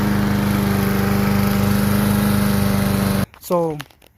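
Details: Kohler Courage XT-7 single-cylinder engine on a big-wheel three-in-one push mower (model 11A-54K1090), pull-started before swapping onto a good deck, runs at a steady speed with an even beat and no misfire, then cuts off; normal running.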